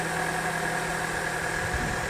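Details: Petrol engine idling smoothly after the noisy AC compressor pulley bearing, found as the source of a rattle/knock, was greased; compressor now engages cleanly and runs quietly, no rattle.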